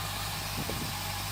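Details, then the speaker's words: 2008 Honda CBF1000 after a long no-start, previously coughing and spluttering, plugs earlier swapped between cylinders one and two. The engine catches and settles into a steady, even low idle with no knocks or misfires. Cause unclear; now running fine. "started up but it took a hell of a long time to start and it was really not wanting to start it was like you know coughing and spluttering"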